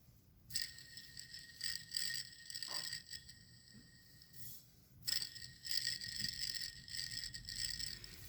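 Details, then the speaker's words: Honda Odyssey serpentine-belt idler pulley spun by hand: gritty rattling whirr with a high metallic ring from a worn bearing that gets louder as rpm rises; first mistaken for front wheel bearings. "and as the rpm goes up this is gonna be louder and louder and louder"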